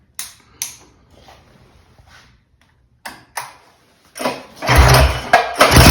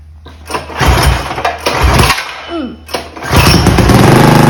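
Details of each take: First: Mega Moto 212 mini bike with Mikuni carburetor, cold, repeated pull starts: engine turns with rough churning but never fires after mixture was richened; owner suspects mixture now wrong, earlier seemed too lean. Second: Mega Moto 212 mini bike, modified Predator Hemi engine, after Mikuni carburetor idle tuning: small single coughs, then catches and settles into a quick even putter without dying; running normally.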